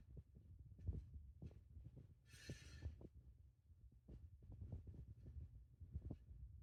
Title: Hunter Fan Making Noise